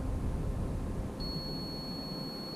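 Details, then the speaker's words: Intermittent boat kill switch contact tested with a continuity meter: a faint steady high meter beep that holds only when the tiny button is engaged just right; the switch sort of works but the cause of the intermittent contact is unknown. "it just barely beeps it but get it just right all so it sort of works but you know we don't know why it's just intermittent"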